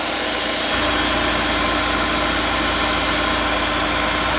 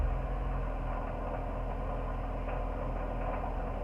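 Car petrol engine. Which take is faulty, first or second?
second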